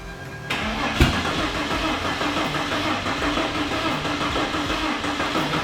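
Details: New project engine on a jump-started battery, fuel pressure confirmed, before spraying starting fluid: starter churns steadily with one sharp kick about a second in, but the engine never catches; cranks but will not start.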